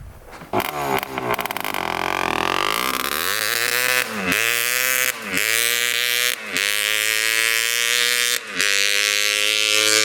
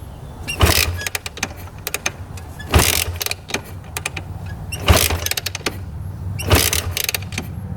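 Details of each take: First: 1986 Honda TRX250R two-stroke quad after unclogging the exhaust pipe: crisp revs climbing high to full rev-out with snappy returns, far quicker and peppier than before; normal running. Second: 1986 Honda TRX250R quad after sitting: four firm kick-over strokes about two seconds apart with good compression and no knocking, but it never fires; cranks but won't start, owner suspects carb needs cleaning from sitting.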